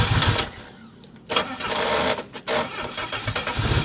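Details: Engine being started on woodgas with homemade butterfly valves, no control cables fitted yet, gasoline pump not working, weak battery: short cranking bursts with brief firing attempts that die each time; won't keep running.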